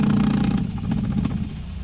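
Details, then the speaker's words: Irrigation system not run in 10 years being started: low rushing rumble with sharp pipe knocks, water hammer. "that's water hammer"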